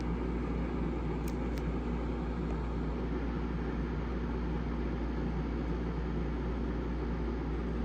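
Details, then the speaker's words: Houghton Bel Air 2800 rooftop van AC on a 15-amp circuit, drawing up to 17 amps: a steady, even low hum and blower rush with no cycling, rattles or strain, blowing cold. Running normally. "it sure is it's running pouring cold"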